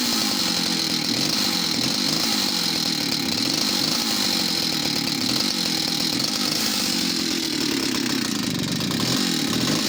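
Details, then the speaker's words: West German Stihl 041AV project chainsaw, two-stroke: high buzzy idle wavering and sagging, bogging down as if over-fuelled after throttling; owner suspects clutch, main jet not seating well, or an inlet manifold leak. "so she will start up might be a fast idol and then if you throttle it a couple of times the the idling will get heavier and bogged down as if she's over fueled all of a sudden"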